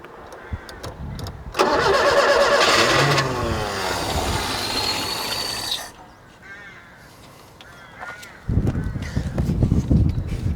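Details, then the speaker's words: 1976 Peugeot 204 barn find, sat in a shed about 10 years, on choke: cranks steadily about four seconds without catching; old fuel smell, nothing reaching the carburetor bowl, fuel starvation suspected. "ish ancient old smells of old fuel so that's nice not getting any uh not getting anything in the bowl there"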